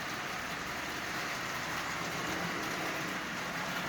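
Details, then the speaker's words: Marx Commodore Vanderbilt toy locomotive, circa 1946, with derusted push rods, at its slowest speed on AC. Steady, even hum and rattle on the track with no surging or catching; runs like new, normal running. "It runs absolutely splendidly. In fact, it runs like new. There is nothing wrong with this locomotive at all."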